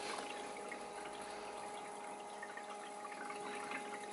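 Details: Bobil Vans water heater using the diesel heater in a Mercedes Sprinter van conversion, set point 60 degrees: soft steady circulation pump hum with light water trickling, no surging or rattle; pump running normally.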